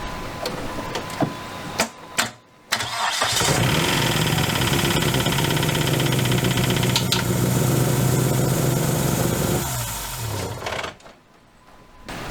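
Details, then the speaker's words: Dodge Neon ACR revived after about two years: start then rough, lopsided idle with one cylinder sounding dead after finding MAP and knock sensors unplugged. "it's got a little miss uh when I pulled this"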